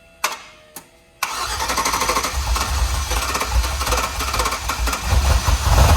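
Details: 1968 Ford Bronco with swapped Chevy LS engine, first start: two crank bursts, then rapid light clicking over idle from four bad lifters, since replaced; oil pressure 37, possible exhaust leak.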